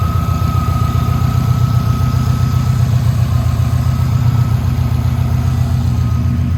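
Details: 2007 Subaru Impreza WRX (titled STI) turbo boxer with aftermarket exhaust at idle: steady, even low rumble, no rod knock, ticks or stumbles; quiet, well-balanced normal idle.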